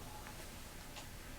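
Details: Commodore 1541 floppy drive for C64 that wouldn't spin up, after cleaning and socketing controller chips: quiet even head-stepping ticks over low hum, no grinding or repeated knocking; drive reads and boots a game normally.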